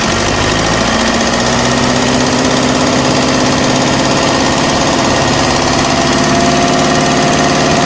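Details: OM601 2.3 diesel at steady idle with a hard, regular knock on every turn over the clatter; an engine knock, source unknown.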